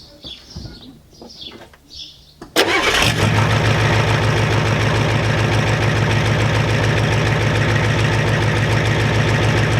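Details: 1993 Ford F-250 7.3 IDI diesel after turning the injection pump up and purging air: cranks briefly, catches, settles into steady even clatter about 200 beats a minute; sounds much better, burning a little oil, normal idle.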